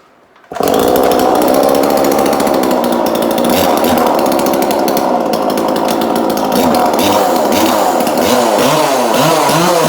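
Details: 2002 Husqvarna 136 chainsaw with new carburetor, tuned, sandblasted repainted muffler with extra vents cut: fires at once, holds high steady buzz, no hunting, stumbling or dying; normal running.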